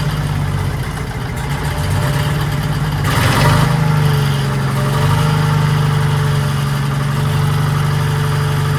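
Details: 1940s Allis Chalmers HD5/D5 crawler, 2-stroke Detroit 271 diesel, first run in many years: steady low chatter at idle, even beat holding after a brief rev, no knocks or misses; sounds good, smoke blamed on suspected faulty injector.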